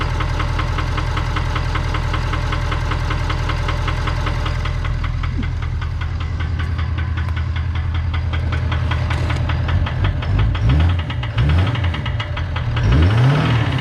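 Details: 2019 Ford F-250 King Ranch 6.7 Powerstroke diesel, 117,000 miles: hard, steady knock about three to four per second, loud over the idle clatter; serious internal engine knock.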